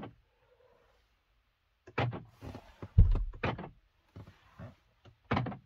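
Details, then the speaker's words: 2017 Skoda Kodiaq 1.4 TSI, front right door central locking lock 5TB837016C just replaced after it kept unlocking with repeated tac-tac: crisp separate motor-and-latch clacks, no rattle, mechanism working properly. "Ça fonctionne. On entend bien le mécanisme ici côté portière fonctionner."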